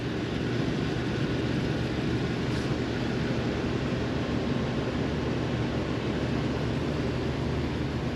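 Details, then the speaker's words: 2023 Thor Quantum KW29 motorhome (Ford E-450, 7.3L Godzilla V8) idling after the heat-shield bracket rattle fix: a steady, even exhaust drone over the rooftop air-conditioner hum while plugged in. No rattle is heard; normal idle. "No more rattle in this area. Now I just hear the exhaust."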